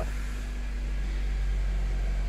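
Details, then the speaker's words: 2003 Honda CR-V, 295,000 km, idling after settling: low hum with fine fast rattle from balance shaft chain tensioner, often mistaken for the AC compressor. "there it is on these ones the uh there's a tensioner for the balance shaft um uh that thing will start rattling it it always sounds like the AC compressor but it's not the AC compressor"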